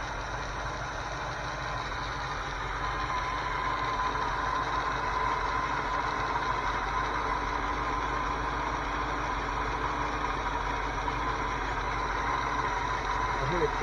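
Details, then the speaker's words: 1981 Ford 302 V8 idling cold, heard at the top front of the motor: light, somewhat uneven multiple ticking about three per second over engine hum; owner suspects blown motor or rod knock, not confirmed. "I still hear that ticking noise coming from the front. Multiple ticking."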